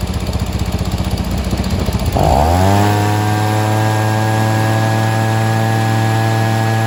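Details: Stihl SH 55 handheld blower/vac after a tune-up and carburetor adjustment: pulls over, catches and settles into a steady high buzz with an even pitch, no surging or sputtering. Normal running.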